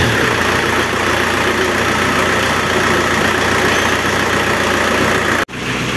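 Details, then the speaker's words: Renault Kangoo F8Q 1.9 diesel converted from original Lucas Delphi DPC pump to a mechanical Bosch VE pump (from a Renault 19): steady, even idle clatter with no misses or knocks, sounding practically the same as with the original Lucas pump. "en este caso yo encuentro que el motor suena igual prácticamente que con la bomba Lucas original"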